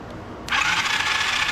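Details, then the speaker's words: 125cc ATV mini quad, starter jumped directly at the terminals with spark plug removed: quick, smooth electric whirr with no compression pulses, spinning faster than normal; normal starter cranking. "okay she cranks over nice and smooth I do have the spark plug out so this thing's probably cranking over way quicker than it really should"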